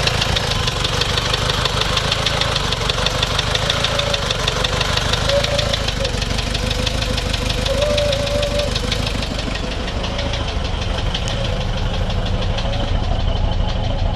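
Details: Toyota Surf 1KZ-TE diesel that stalled after two minutes at 3000 rpm and restarted hard: hard uneven knock about three times a second with rough stumbling beat, smoking; owner suspects head gasket, seems to consume antifreeze.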